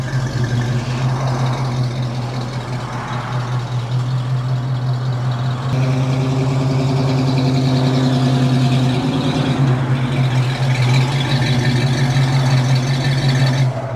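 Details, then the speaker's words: 1979 AMC AMX after exhaust system repair at a muffler shop: deep, steady low rumble at idle swelling evenly as it pulls away, no rasp, ticks or leaks; clean exhaust. "God, that sounds good."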